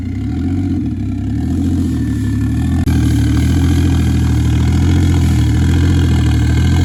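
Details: Toyota 1JZ-VVTi turbo six with new Tomei BX8280 turbo, engine hot, after idle air control valve fixed: steady even low idle, no hunting or misses; normal idle.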